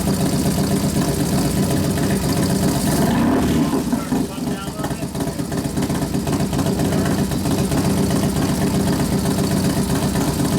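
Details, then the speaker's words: Newly built 1993 FXR Evo 89ci stroker Harley V-twin, first runs, warming up, accelerator pump turned down, air cleaner off: loping idle with a steady loose beat, no stumbles or spitting; idling fine, mixture to readjust later. "sounds good we got to readjust it once you put the air cleaner on yeah of course it's not real sensitive the idle mixture"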